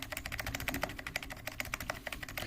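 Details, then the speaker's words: Mechanical keyboard with Cherry-style stabilizers after lubing with Permatex 81150 dielectric grease: crisp, even key clacks, and the spacebar lands with a clean thock with no wire rattle; stabilizer fixed. "depending on the age of the keyboard and the stabilizer quality the results may vary but sounds pretty good to me"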